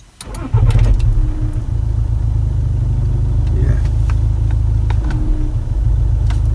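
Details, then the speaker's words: Skoda Superb, 336,000 miles, stationary start-up: engine fires into a heavy low rumble with a thud and odd knocks; shakes when accelerating; engine/gearbox mount bracket has lots of slack from a perished bushing, letting the engine rock. "I can definitely hear there's something not right I don't know if it's gearbox or or what but there is some sort of problem there"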